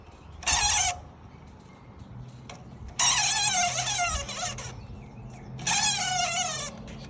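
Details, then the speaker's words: 2003 BMW E39 M5, driveshaft removed: worn driveshaft center support bearing spun by hand gives three bursts of shrill wavering screech, cause of a light screeching while driving; replaced, new bearing very quiet. "2003 BMW E39 M5 had a screeching noise not too loud but kind of noticeable when driving"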